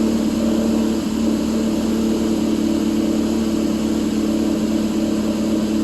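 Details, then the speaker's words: Warm 2006/2007 Subaru Impreza 2.5i, low battery (11.85 V): uneven lumpy idle appears after warm-up as valve timing advance goes wide open (1 to 3) at idle; pulling them smooths it out, cause of advance unknown. "As you can see, those valves for the Advance go wide open after she warms up. If you pull them, smooths out."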